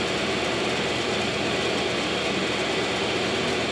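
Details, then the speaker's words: Brake lathe truing the rear disc rotor from an AE86 Corolla GT-S axle on a home-built Lotus Super 7 replica, during creaky-brake repair: steady even hissing whir, no chatter or surging; normal cutting. "so while the brake lathe is doing its thing you can probably hear it in the background"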